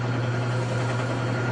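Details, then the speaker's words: General Electric washer spinning after replacing the transmission spring. A steady, even low hum with no knocking, grinding or squeal is the normal spin. "this is the way that the washer is supposed to spin with a good transmission spring"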